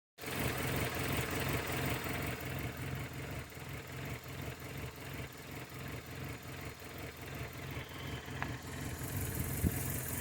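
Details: 1996 Toyota Corolla petrol engine with a rough idle that pulses and dips about two to three times a second; the owner is unsure whether it is a misfire, a belt or a manifold problem.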